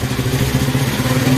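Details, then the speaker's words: Honda 70 motorcycle after setting the carburetor mixture (petrol) screw, tightened fully then backed out to where the engine sounds loudest; single cylinder idles steadily with an even, slightly lumpy beat; normal idle. "अब जहां पर सबसे ज्यादा आवाज आ रही है वहां में छोड़ देना पहले करना है पूरा टाइट इसको उसको बाद ऐसे से करना है लूज जहां पे हमें आवाज सबसे ज्यादा आ रही है वहां प छोड़ देना है"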